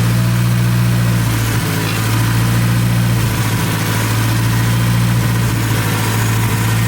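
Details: Big-turbo Hyundai Genesis Coupe back running after sitting in the garage: steady, even low idle with smooth deep drone, no knocks or misses; owner says she sounds real healthy. Normal idle.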